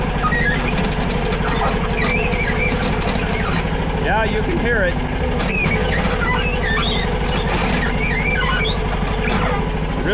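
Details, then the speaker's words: Diesel machine moved forwards and backwards after cleaning out ash: high chirping squeals rise and fall over steady idle; new squeal in the drive, owner plans to remove plates to find the cause. "Hopefully, you'll be able to hear it squeaking. It never did that before, but it's squealing really bad."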